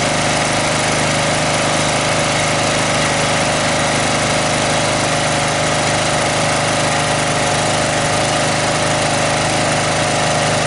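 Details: Snapper 38-inch scrap riding mower idling after getting it running; steady, even drone with no misses, knocks or surging; gasket suspected of dripping, to be checked. Normal idle.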